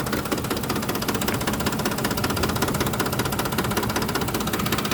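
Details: 2007 Ford F-150 5.4L 4x2 automatic, 119k miles, rough idle after deceleration on arrival: a lumpy idle with a light knock a couple of times a second, seemingly near the fan; cause not found.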